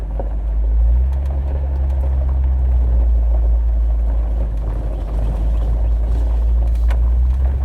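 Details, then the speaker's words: Lifted 2018 Jeep Wrangler on a bumpy-road test drive after tightening a loose sway bar link that caused passenger-side front pops, thumps and knocks: steady road and engine rumble, no clunks. Suspension is now quiet. "yeah it sounded very good through the bumps and the turnaround back there"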